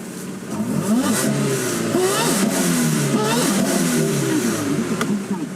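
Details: 1999 Toyota Altezza RS200 Z-Edition with a supercharger fed by an aftermarket air filter: with the bypass switch pressed, the broken-sounding noise goes away and revs rise and settle cleanly with no whine; supercharger not busted.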